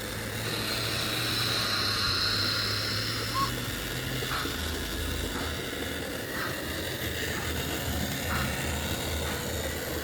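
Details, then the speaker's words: Lima model locomotive running with steam sound module: steady coarse low hum and buzz under the chuffs and whistle; original motor too noisy, replacement motor kit planned. "So the main issue I've got with it is the Lima Loco here is very noisy, and somebody did say, oh yeah, you need to put a replacement CD motor in it."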